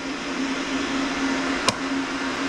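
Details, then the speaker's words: Relay click, then a steady low hum with no spin-up from a bad boiler burner blower motor. The burner calls for heat, finds no flame and trips out to a 45-second lockout on the controller. "just click and it's not running just humming it's a watch watch it's calling for heat and it's going to just trip offline"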